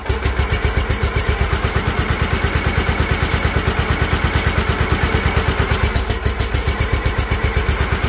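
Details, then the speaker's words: John Deere LT160 Automatic mower stored outside for years, first start after starting fluid and battery boost, throttle not raised: rapid, slightly uneven single-cylinder popping at low speed as the old engine comes back to life and runs. "there we have it and that stinks I think she just needed a little wake up plus I didn't have the throttle up cuz I'm super smart but we have a runner"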